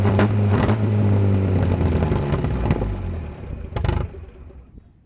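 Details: 1949 Willys F134 four-cylinder petrol, rigged 12-volt starter, long unrun, on choke: catches and runs fairly evenly with steady low beat, no knocks or clatter, then shuts down; slight smoke possibly from hung-up rings; normal running.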